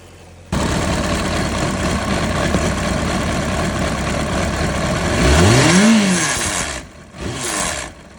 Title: CBR600RR 2005 whirring hissing noise